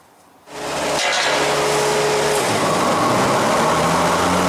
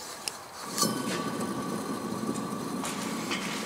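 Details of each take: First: Hustler Z zero-turn mower with 72-inch XR7 deck, after replacing idler pulleys and blades: engine settles into a steady loaded hum with blades engaged, belt staying on with only slight jumping; normal running. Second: Hustler Z 72-inch XR7 mower deck, outside spindle spun by hand: rough, gritty rolling rumble with faint steady whine; spindle has play, likely worn spindle bearings.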